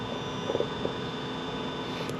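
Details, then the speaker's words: Mercedes 220E W124 with no-start electrical fault, engine off, ignition on: steady faint high-pitched electrical buzz constantly from the throttle body; fuel pump relay not clicking, owner suspects throttle body or air sensor problem, possibly shorted wiring. "there is a buzzing noise let me find where that's coming from yeah it's this throttle body again is just buzzing i mean someone tell me if these just buzz all the time like that listen"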